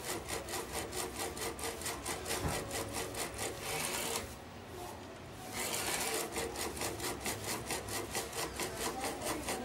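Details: Epson-based A3 DTG UV flatbed printer (SC-P400 motherboard, DX7 head) powering on with head off home position, steady rhythmic scraping strokes about two per second, pausing and resuming, then errors 52H/71H; APG sensor suspected.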